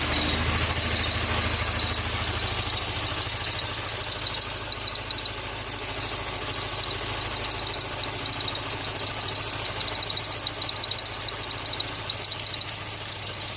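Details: ZMZ 409 engine, idling after water got in: steady high-pitched whistle over an even idle from start-up; owner suspects the drive belt, cause not confirmed.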